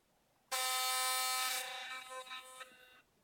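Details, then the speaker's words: Philips Sonicare DiamondClean brush head: loud harsh rattling buzz as the metal ring comes loose and vibrates in the plastic casing; fix is a drop of super glue. "then probably you have the same problem as me, which is that this ring here comes loose and it vibrates inside this plastic casing, which makes this buzzing noise."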